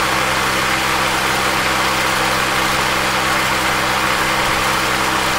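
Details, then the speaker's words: 26-year-old car radiator cooling fan after bearing repair (was noisy, sticking, overheating windings), engine running: steady even airy whoosh over quiet idle, no grinding; normal operation. "This 26y old cooling fan has been saved."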